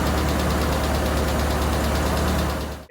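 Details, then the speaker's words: Toyota Tercel, reinstalled 3A-C engine, warming up at idle before the valve lash adjustment. Even idle with a steady low thrum and soft pulses about four a second. Normal warm-up idle. "We'll let her get warm, we'll shut her off, we can adjust the valves, and let's go get breakfast if you're game."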